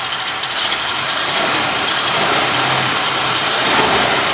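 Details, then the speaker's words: Godfather car after carburetor repair, warm on a hot day, choke open: engine revs up cleanly and holds steady under loud airy rush, no stumbling or misfire; normal revving. "let's see if we accelerate it's whole different ball game beautiful see now your carburetor works exactly the way it's supposed to"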